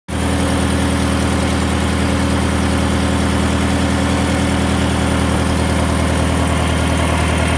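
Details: Subaru BRZ at idle: a loud, steady exhaust note with a fast pulsing beat of about three per second; the exhaust sounds abnormal, but the cause is unclear.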